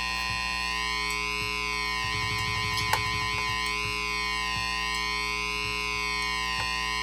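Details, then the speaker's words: Slow whooshing flanger sweep on a guitar tone through a 1980 MXR Flanger MX-117, rising and falling only every three or four seconds; the flanger still works but the sweep is too slow. "it is still going it's just slow but if you let it go you can hear it move now it's all the way down"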